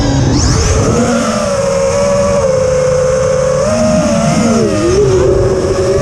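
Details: Quadcopter in flight, TBS Bulletproof 25A ESCs (signal cap removed) on DShot 600, Betaflight updated 2.9 to 3.1.0-RC5, untuned with P40 I20 D5. Steady motor whine rises and dips with throttle, with a rough edge; strange sound of unclear cause.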